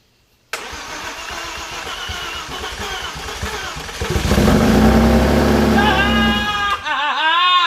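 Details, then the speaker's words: Audi B5 S4 after complete overhaul with modified intake manifold, first start on a new battery, mid pipes only; cranks briefly, catches cleanly and settles into a loud even idle, healthy. "She runs! She lives."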